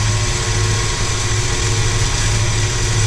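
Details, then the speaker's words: Landa VHP5-3000 propane-fired hot pressure washer (5 gpm, 3000 psi), complaint of no heat and shutting off in use, flow switch triggered with a magnet: steady low roar, even hum, no sputter; burner lit and firing normally. "another thing is that red lights on I can hear over here the burner is working"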